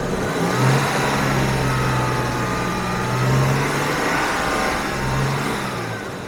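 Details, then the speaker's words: Jaguar XJS V12, revs held raised: fairly even drone, slightly rough at first, back on 12 but sometimes losing one; sticky fuel injector being worked free. "if you can hear it's a little bit you know not completely perfect but i'll hold the rest up a bit"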